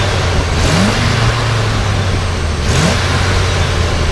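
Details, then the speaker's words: 1981 Chevrolet K20 Suburban 4x4, original motor, 4-speed: two quick blips climb cleanly and drop back to even, smooth idle with no stumble or rattle; healthy free rev. "It sounds great, so nice and smooth."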